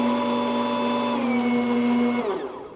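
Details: Saeco Intuita superautomatic espresso machine in test mode, grinder function test: even motor whine at steady pitch for about two seconds, then winds down smoothly; grinder running normally.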